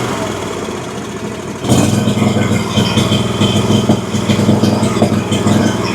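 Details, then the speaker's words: Exmark Vantage S stand-on mower, Kawasaki FS541V, 1181 hours, found with no oil (oil and filter then changed), runs with an uneven, stumbling beat and exhaust pops; owner suspected overfueling or a sticking valve. "So, it runs pretty poorly. It seems like it's either getting too much fuel or that one of the valves is sticking or not sealing properly. Obviously, something is definitely wrong with the engine."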